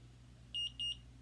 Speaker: put the syringe in you don't have to jam it and you'll feel it kind of rest in there and then you're gonna push down till you hear two beeps